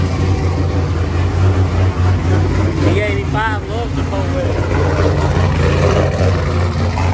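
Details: Pontiac G8 after fixing a pinched wire that had caused safety limp mode and crank-then-die or no-start: holds a steady, even low idle with no stumble; normal idle.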